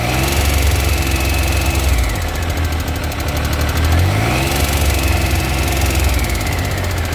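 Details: 2000 Triumph 955i Sprint triple, about 105,000 km, revving: fast, light metallic tick. It began after 5,000 km, following a valve clearance service; a replaced cam chain did not cure it, and the tensioner was not replaced. Cause unknown.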